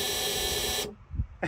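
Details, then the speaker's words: 2006 Peterbilt 379, CAT C15 MXS 650hp, after swapping in a replacement low air warning buzzer with air pressure near minimum: harsh, raspy buzz holds steady for almost a second then cuts off. Buzzer works after repair, though the sound differs from the original. "Will I forever have a different sounding low air buzzer? Oh! Oh, that sounds disgusting! Ah, well, that's lame."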